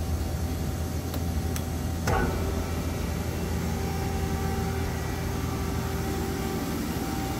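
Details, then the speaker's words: Amada RG-80 press brake with NC9 EX2 control, wired up and running; after a start-up click, steady low electric hum and even pump drone with no knocks or squeals, running normally. "And she is running, wired up and running."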